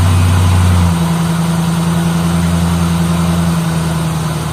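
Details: 2003 Ford Mustang SVT Cobra after 4 months of winter storage, dead battery replaced with new Motorcraft BXT-59: deep, strong note right after firing settles within a second to steady, even idle; normal healthy start.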